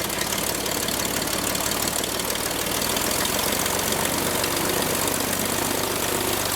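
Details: Franklin 165 aircraft engine test run after repairs to a blown cylinder: steady, even roar with fast firing beat and no misses or knocks; runs normally and sounds much better.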